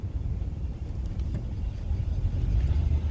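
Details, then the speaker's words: Old hot-rod pickup shop truck on the road after a long-chased front suspension clunk (two bad bushings already replaced) finally stopped: steady low road and tire rumble with no knocks or clunks from the suspension. "And so what I want you to listen to is not what you can hear, but it's what you can't hear. Yeah, I finally found what my clunk was."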